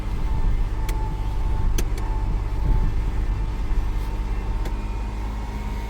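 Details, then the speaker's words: 1998 Ford Explorer, sat five years, just fresh oil, still warming up: fast, steady, busy idle with no dip or settling, very high rpm; high idle from a sticking idle air control valve. "It's idling real high. Okay, getting a little bit better response now. I'm wondering if it's going to warm up. That's really high RPM."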